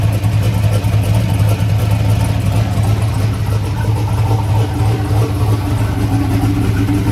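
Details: Turbocharged Chevy S10 idling after fire-up, with the idle screw readjusted after an odd start: a steady, even low rumble with smooth exhaust pulses and no misses or knocks; the turbo V8 idles cleanly and sounds awesome.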